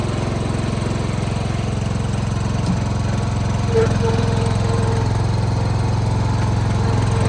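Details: John Deere 165 Hydro lawn tractor after a new ignition coil fixed sporadic spark, deck engaged: deep, even chug holding steady speed under deck load with no knocks or stumbles; running healthy.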